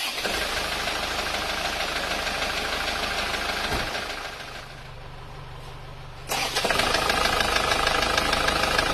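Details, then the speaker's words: Isuzu Panther Grand Touring diesel, rough after a recent engine overhaul: hard knock about three times a second over the idle clatter, unlike a smooth unrebuilt Panther. Mechanic diagnoses piston slap from worn, loose pistons. "Nah suaranya seperti itu Jadi bisa dipahami ya antara bedanya antara yang normal halus seperti yang penter kotak yang belum saya turunkan yang lainnya itu halus tapi yang kapsul ini yang Grand Touring ini suaranya malah kasar seperti itu"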